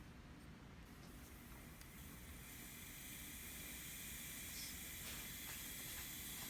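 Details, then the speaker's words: Steady loud hiss of air escaping a diverter/blow-off valve pressurised to about 30 psi, air leaking straight past its diaphragm; can cause idle issues. "here the diaphragm on this thing is not even voiding pressure at all so if you're running one of these coach and you have acumen or idle issues to check it the diaphragm is probably"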